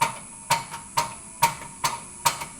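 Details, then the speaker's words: Graco QUANTM electric double diaphragm pump run remotely by on-off signal and signal generator speed control (knob near 25%, then speeding up): sharp, even clacks about two strokes per second with a clean tick between; normal pumping. "hear the pump is pumping away. I can now vary that speed remotely anywhere through the pump's range. You hear we're speeding up."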